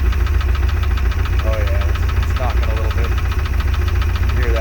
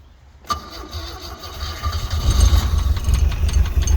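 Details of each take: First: Glastron Carlson CVX-16 boat engine at first test fire after sitting: low steady idle with a light, fairly regular knock about three or four times a second, then shut off; cause unknown. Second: Glastron Carlson CVX-16 boat engine restarted with the last water-intake hole covered, to check whether it pumps water out. A brief crank, then it fires and the low rumble builds to a steady run within a couple of seconds. Engine starts fine.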